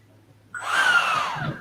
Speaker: this is an fms fan that's been balanced um the main thing that you can hear over the over the mic is gonna be it's more of a whoosh instead of a buzz